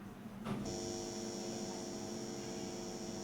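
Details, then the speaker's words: Amplifier board (STK module) under repair, power applied with no input and a speaker on one channel: steady low hum with a faint high whine. "பார்த்திங்கன்னா சும்மாவே பார்த்திங்கன்னா லைட்டாக ஒரு noise வருது."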